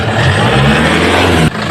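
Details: Toyota Hilux diesel after turbo replacement, revved to check for noise: smooth, even drone with no whistle or shaft rattle, dropping off cleanly; the new turbo sounds healthy and quiet.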